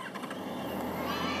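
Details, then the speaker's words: Yamaha FZ1 motorcycle after carburettor repair of leaky needle valves, starting at a gas station with no throttle, just the button: catches quickly and settles into a smooth, even idle without stumbling; normal start. "oh my god it's never done that never ever ever ever ever ever done that engine sounds great"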